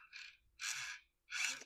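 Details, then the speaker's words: 2003 Radio Shack Brum RC car rebuilt with hobby-grade electronics: original steering motor now on an ESC makes three short high-pitched buzzing whirs as it steers; steers properly but is noticeably noisy. "It's a little noisy. I'm not sure how that sounds on camera, but in person it's pretty noisy."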